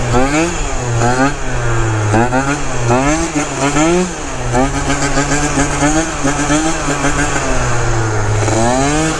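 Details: Malaguti Phantom F12 two-stroke scooter with 70cc kit, Yasuni pipe, bigger carb fitted and new Malossi shock: repeated clean rev sweeps, crisp note, no hesitation or misfire. Normal revving; the bigger carb helped a ton.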